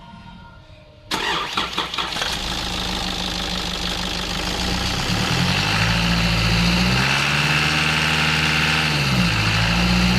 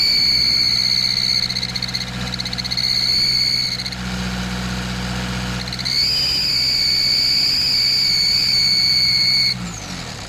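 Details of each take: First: Nissan Patrol ZD30 diesel after exhaust manifold replacement with new gaskets: cranks, fires and revs cleanly with no high-pitched squeal; squeal when accelerating parked or under load came from leaking exhaust manifold, now fixed. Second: Nissan Patrol ZD30 diesel, parked or under load while accelerating: piercing, extremely loud whistle-squeal rising and falling with revs; exhaust manifold leak found as the cause.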